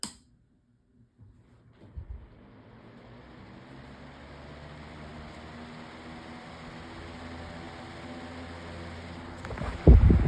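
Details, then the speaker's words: Modified Lasko 18-inch pedestal fan on high, after refitting the blade tighter on the shaft: soft, steady hum with even airflow and no rattle, scrape or ticking. The fan runs smoothly and quietly. "this one has been real has been working out great. There's no noise on this thing at any anywhere."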